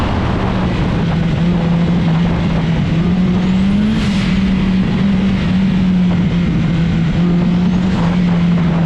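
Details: Turbocharged Honda CRX with B-series head, on a hot autocross lap: loud engine drone holding steady and rising under load with hiss and whoosh on throttle changes; healthy boosted engine.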